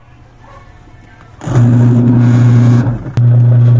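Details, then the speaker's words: Single-tub washing machine wash motor after repair of bushing dried of oil and stuck to the shaft, belt refitted: quiet start, then steady even hum with belt driving; previous humming-only drone gone. "unit yun Guys kung maobserbahan niyo nawala na yung Ugong ng wash motor"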